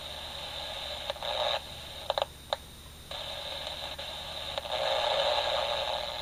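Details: AM superhet receiver on the workbench. Steady hiss with no clear station, swelling and dropping with brief crackles: weak reception fading in and out. The builder suspects an AGC fault, its reading going the wrong way; unconfirmed.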